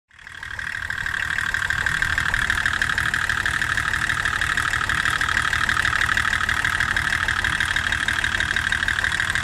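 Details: Older diesel engine shaking and running rough, an uneven clatter of about three beats a second with a shaky pulse, caused by a bad injection pump quantity adjuster.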